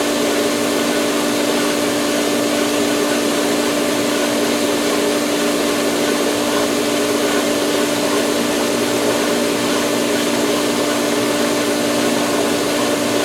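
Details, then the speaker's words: Polaris pool cleaner booster pump starting in filtration mode, camera resting on the pipe, water filling the solar line: loud steady hum with hard buzzing rattle through the pipe until it primes; pump air lock. "The uh Polaris pump is gonna air lock and it just makes the most awesomeness sound when it catches prime, so to speak."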